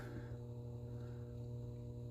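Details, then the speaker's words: About 45-year-old travel trailer, breakers switched on; steady low electrical hum with even overtones from the inverter; normal inverter hum. "I don't know if you guys can hear that, but some things are humming."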